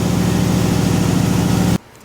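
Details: RX-7 after cracked-piston rebuild, with throttle blade and idle adjusted down: smooth, steady low idle with even pulse and no knocking or misses, then cuts off; normal running, a little blow-by left, far better than before.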